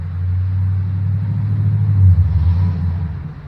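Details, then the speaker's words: Healthy TBI 350 V8 in another vehicle, heard for comparison with a C10 350 running on six cylinders (low compression on numbers 1 and 2): deep, even rumble swelling as the car pulls away, then fading; all cylinders firing cleanly. "that's what a V8 sounds like. That's Chesney leaving with her beach rod with the TBI 350, and 350 with only 6 cylinders turning just ain't gonna get it."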